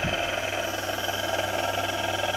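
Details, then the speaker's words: Spindle gearbox gear whine at about 1200 RPM in low gear, steady whine with low hum; gears polished with abrasive bristle brushes, noise remains but noticeably quieter than before. "okay so we still got the gearbox noise which obviously we knew we were going to have"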